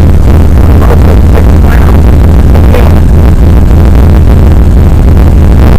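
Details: 1993 Chevrolet Blazer after in-tank fuel pump replacement, primed with key cycles before cranking: after cranking, the engine catches and holds a loud, steady low rumble with no stumbling; normal start, fuel pressure 62 with notable bleed-down.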